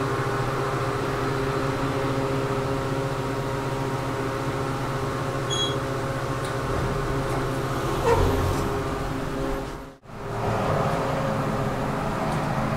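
A loud, steady whooshing drone with a faint whine runs through the whole ride, briefly cutting out; the cab fan is noisy.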